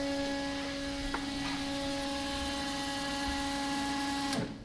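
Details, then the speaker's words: Rotary Corvette with the car on: the saddlebag auxiliary tank's transfer pump feeding the main tank makes a steady, even electric hum for about four seconds, then cuts off cleanly. This is normal operation. "can hear the other tank the saddlebag tank think that it's the other side of the gas that's that's the system that we're powering from the side"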